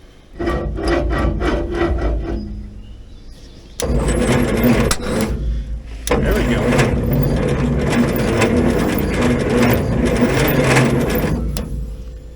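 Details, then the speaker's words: 1950s Roller saved from scrap, cranked after ether and coil wire hookup: sluggish, labouring crank in short bursts, about four slow turns a second, never catching; slow cranking from low battery voltage, bad connections suspected as a cable smokes. "something tells me we need more juice all right contact yeah I don't know it's really like we're just not getting enough juice to this thing"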